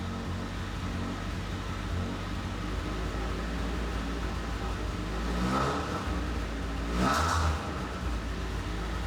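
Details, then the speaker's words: 1986 Toyota Corolla GTS first start after months sitting, repaired with eBay parts: uneven lumpy idle with two ragged revs that don't come up smoothly; running real rough, cause not found. "You sound rough. The question is, can All right, so the car's running real rough, but regardless, we're gonna try to take it out for a spin."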